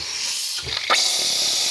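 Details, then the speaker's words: 2004 early-build 6.0 Powerstroke diesel, hot no-start, won't build ICP; oil rail air-charged with valve covers off: loud steady hiss of air leaking at front of log, suspected blown injector inlet O-ring, not serviceable. "here's my leak start I'm going to go ahead and pull this log off and I suspect that we'll find the O-ring blown right out of the top of that injector"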